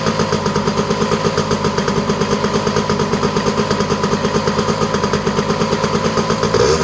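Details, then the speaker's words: Honda EZ90 Cub single, just started after petcock set to run: quick, even putt-putt with light clatter, steady throughout; idle running a little high, otherwise running strong, WD-40 burning off the exhaust pipe. "Idle's a little high, but we'll let it run a little bit."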